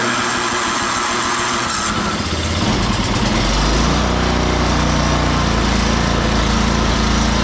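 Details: Free salvaged snow blower, oil checked and tires filled, plugged-in electric start, primed several times; starter whirs, single cylinder catches and settles into steady even run, no misses; normal running.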